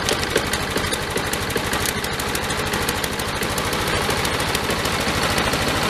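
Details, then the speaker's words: Lawn mower small engine starting and chugging slowly and unevenly, not reaching high RPM. The RPM picked up when the air filter was removed, so a clogged air filter was starving it. "One thing is not running very high RPM, I noticed that. Well, that picked up when I took the air filter out."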